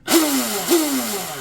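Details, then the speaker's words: Oxidean Dominator RC boat on 8S (discharged), bench test after Oxi-drive ball bearing stinger install and greasing, old worn flex cable: two short spin-ups, pitch sliding down on coast, clean and even, no rattle or chatter; smooth drivetrain. "Damn, that's actually smooth sounding. That's 8S right there."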